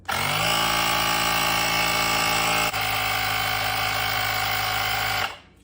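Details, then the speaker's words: Luckfire M7 jump starter's built-in air compressor inflating a car tire from 32.5 to preset 33: steady fast buzzing chatter, about four pulses a second, evenly for five seconds, then auto shut-off at 33; healthy operation. "Notice once it hits that 33, it automatically shuts off there."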